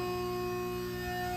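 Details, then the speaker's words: Sassc 500 A 6 V water-cooled, filtered rectifier, model 4VDV-5C006-422, 460 V 3-phase input, remote controlled, turned up under load after testing; steady clean hum with fixed tones, no buzzing or crackling; normal, quiet running. "Very nice, quiet machine."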